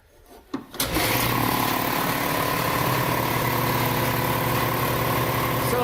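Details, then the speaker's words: Sanborn Commercial 60 gallon vertical shop air compressor, electric: switch clicks, motor catches and settles into a loud steady low rumble with even pumping beat and slight cage rattle; normal, can talk over it. "So it's a bit loud, but I can talk over it, no problem. And it's not irritating. I like how it has a lower end rumble to it."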